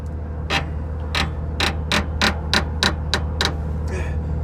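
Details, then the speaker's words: Air brake slack adjuster being adjusted by hand: crisp, evenly spaced ratchet clicks, about eight in four seconds, over a low engine hum, showing the adjuster is good and still has teeth. "you hear that those teeth clicking that means it's a good slack adjuster and it has teeth still on it"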